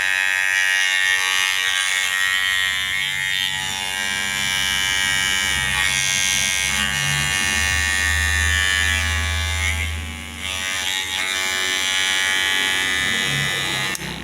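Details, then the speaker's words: Kemei hair clipper, only 4 months old, fitted with a Wimax blade bought online: steady, harsh high-pitched buzz, constant pitch, far louder than it should be; owner blames the blade, technician doubts it matters. "Baru 4 bulan tapi suaranya sudah berisik ini gara-gara memakai pisau wimax beli online"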